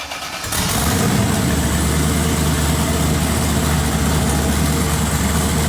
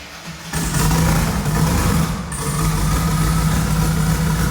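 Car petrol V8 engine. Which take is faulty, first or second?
second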